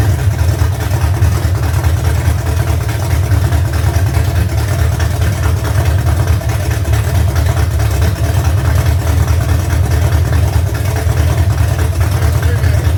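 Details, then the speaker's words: V8 truck being prepared for Power Tour 2025, just after cam break-in, idle brought down lower, valve adjustment seems good: deep loping choppy big-cam idle, steady strong rumble, "sounds like a pulling truck"; normal idle. "Yeah, it it's going to be nasty. Sounds like a pulling truck."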